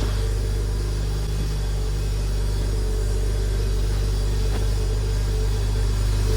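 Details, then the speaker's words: Porsche Boxster shortly after a cold start, after a MAP sensor swap: steady low idle rumble with a faint uneven lope that dies when revved; rough idle and white smoke traced to a failed air-oil separator, with a loose oil filler tube behind low oil pressure. "like I'm wondering if that's if that's normal that it probably isn't that so I'm going to try I'm going to rev it up look it's going to die"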